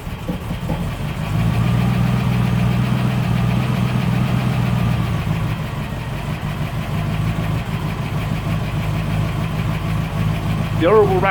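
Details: 1972 Range Rover (A suffix) V8 running with a light uneven rattle over the engine beat that swells as revs rise; something loose, cause unknown.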